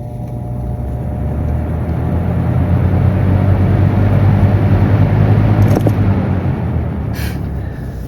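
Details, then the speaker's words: 2006-2007 Lasko 3733 box fan starting up on low; low hum builds smoothly over a few seconds then settles, with an odd startup noise unlike Marco or Macmillan motors; normal motor startup. "It's not like a Marco motor or Macmillan motor startup, but it has like that noise. It's odd."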